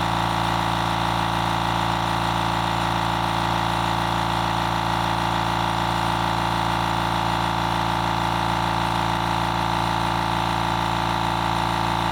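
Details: Fortress 6-gallon air compressor on a table, phone decibel meter between compressors (background about 36–37 dB): steady, even motor hum with fast pump pulse about three and a half beats a second, no knocks; normal running.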